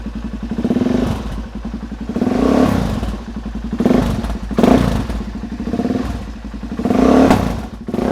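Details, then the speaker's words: Suzuki DRZ400SM during restoration, first fire-up after rebuild with a little coolant on the header. The crisp single-cylinder thump is blipped several times and settles back cleanly each time. Engine sounds healthy. "Oh, how I've missed that sound. My God."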